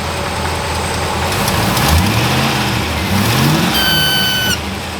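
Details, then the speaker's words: Austin-Healey Frogeye Sprite with 3.5L Rover V8, rebuilt Holley 390cfm 4-barrel carb on Offenhauser manifold: thin high squeak each time the throttle is blipped and released; gasket suspected, with fuel fumes, not confirmed. "Every time we operate the throttle and let go, there's a squeaking noise coming out."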